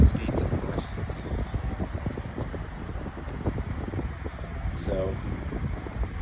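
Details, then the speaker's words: Lasko 18-inch oscillating table fan with a new replacement blade, on high then medium speed: steady low whoosh with even hum, no ticking, rubbing or wobble; running smoothly. "there's high. This is medium. Still blowing a pretty good breeze. It's not too much."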